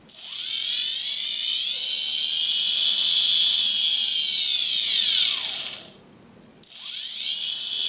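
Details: Quadcopter motor on an H-frame, run through its ESC after swapping two motor wires to make it turn clockwise, during manual ESC calibration: a clean high whine winds down and spins back up smoothly. The motor sounds healthy.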